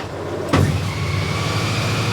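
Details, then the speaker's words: Honda Goldwing DCT after earlier fail-to-start, check engine light on: brief starter whirr, engine catches cleanly into smooth steady idle with no stumbling; alternator charging at 14.38 V. "The bike is cranking up."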